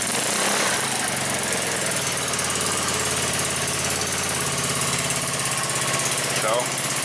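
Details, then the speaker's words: 150cc four-stroke go-kart engine started cold with a little throttle right after an overhead-valve adjustment; small single-cylinder buzz at a steady fast idle, even firing, no valve tapping or clatter; normal idle. "as you can tell the coal cars still running sounded good and together we all got it going good yes all right so that sounds amazing to me"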